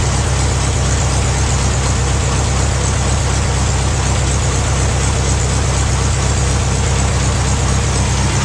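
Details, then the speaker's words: Case VAC tractor engine first run on hot-wired key, set on a skid loader, old muffler: low, even idle putter, steady and quiet, no knocks or misses, slight rattle; normal idle. "Well, you can't hardly tell, but that thing's running. Got a little rattle there, nothing much."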